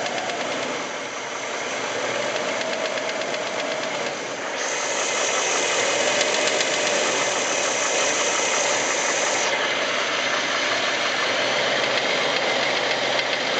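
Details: 1989 Jeep Wrangler YJ engine in gear: a regular knock about four per second from the top of the engine, with heavy blow-by. None of this occurs at idle out of gear.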